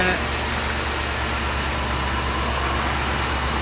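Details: 2007 Dodge Ram 5.7 HEMI V8 just started after replacing leaking water pump, belts refitted, no leaks, antifreeze being added; steady even low idle rumble, no ticks, knocks or misses; healthy and settled.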